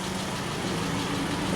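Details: Dodge Nitro, freshly fitted new timing belt, new tensioner and water pump gaskets, running without a radiator fan: quiet, even idle with a soft low hum, no stumbles or misfire pops; sounds pretty good.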